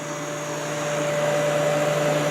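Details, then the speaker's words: Kenmore dehumidifier in a cold space after cleaning, compressor just reconnected and switched on: steady, even fan rush over a constant compressor hum, no rattles or knocks; running normally. "compressor is all reconnected and let's go ahead and turn this on and see what happens sounds good so far"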